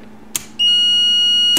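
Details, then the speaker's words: 1973 Honda CB750 custom build, relay bench test with multimeter on continuity and 12 V applied: single sharp click then a steady meter beep about a second; relay works normally. "you hear it click and you hear the beep so that means it's okay"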